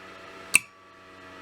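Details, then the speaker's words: Solar charge controller with an added heat sink: a single sharp click over a faint electrical hum as the relay cuts charging at 14.5 V and reconnects at 13.1 V. This is normal on/off cycling. "you can hear the clicking taking place all that clicking is basically shutting down and starting back up shutting down starting back up you can see it gets to a high spot and then it'll go click"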